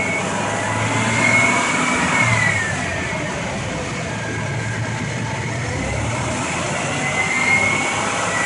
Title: 2000 Explorer 4.0 SOHC Engine Noise